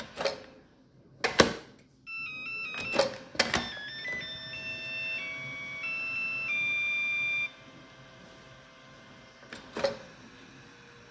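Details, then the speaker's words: Makita DC18RC lithium-ion rapid charger, battery reinserted within 5 seconds: a short electronic melody of rising and falling beeps. This is the alternate start-up tune, a hidden feature, not a fault. "if you remove the battery and reinsert it within 5 seconds, it changes the tone that makes. Try again. See, that went beep, that was a different tone."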